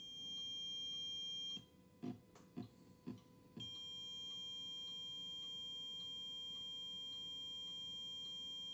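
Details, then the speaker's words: Bluetooth transmitter fitted to a record player on 5 V supply without GND isolator: steady high whine and hiss with faint ticking about twice a second; ground-loop noise from missing ground isolation. "Então esse ruído é justamente por causa da falta do isolador de GND."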